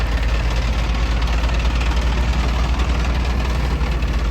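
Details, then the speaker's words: Mid-1990s GMC TopKick truck, mostly loaded with manure, with a just-blown engine barely driving, with white smoke: heavy, lumpy low rumble with an irregular beat of about three pulses a second; engine running badly rough, considered a total loss. "well uh we just blew the motor on this truck can't tell by all the white smoke and all the the nasty"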